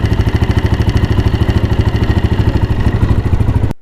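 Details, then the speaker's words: 2022 motorcycle, microphone fitted at engine: lumpy idle with rapid rattling clatter, about three beats a second, over exhaust pulse; suspected cam gear, cam sprocket and cam pin vibrating. "कुछ इसमें आवाज़ केम गरारी की भी है और केम gear की और केम की जो पेन होती है उसकी भी आवाज़ है, वो वाइब्रेशन कर रही है।"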